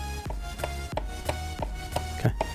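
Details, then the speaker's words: Logitech G29 steering wheel base opened up, shaft rocked by hand before repair: sharp hollow knocks about three a second because the shaft's mounting screws have worked loose, giving excessive rim play. "that's is the noise I was hearing when I was shaking my steering wheel and that is really annoying"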